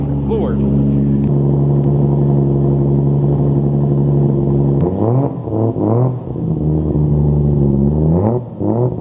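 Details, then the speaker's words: Toyota Supra with new fuel system, just started; air-fuel around 14, smooth steady idle, then several quick throttle blips that rise and fall cleanly; running healthy, normal idle. "That's like a 14 some, but idle's fine."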